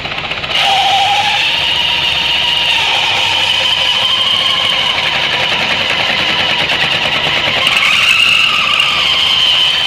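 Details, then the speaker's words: Suzuki Burgman 650 variator with sheaves spread apart: steady high belt-drive whirr with no whistle; secondary shaft turning normally. "Щеки развелись, свист прошел. Опять делаем. Щеки сводим. Вал вращается."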